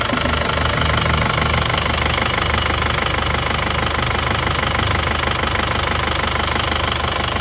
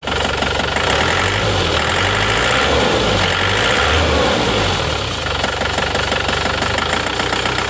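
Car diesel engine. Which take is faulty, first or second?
second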